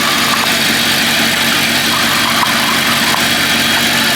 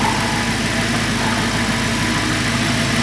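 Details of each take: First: Audi R8 at idle: a tinny, hollow buzz rides over the engine, coming from the oil pan. The flat oil pans fitted 2008–2010 resonate; from 2010 the pans gained bracing, with the crankshaft linked to the cause. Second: Audi R8 at idle: steady, even idle with smooth exhaust burble, no knocks or misses; exhaust, injectors and high-pressure pump sound normal apart from a separate oil pan noise.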